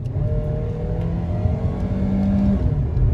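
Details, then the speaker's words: 2012 Chrysler 200 2.4L four-cylinder, formerly stalling, low power with P2174, after intake gasket and throttle body replacement, floored on road: engine note climbs steadily to 60-70 mph without stumbling; normal full-throttle acceleration. "Listen to this thing rev up and take a look at that speedometer. We're already getting up to 60 miles an hour."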